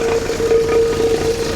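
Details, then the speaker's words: 1966 Jeep CJ5 at idle, jump-started on a low battery with a little choke: steady idle with a constant mid-pitched whine. Long-standing unidentified noise; owner thinks it's the water pump but isn't sure. "I think it's the water pump, but it's really hard to say."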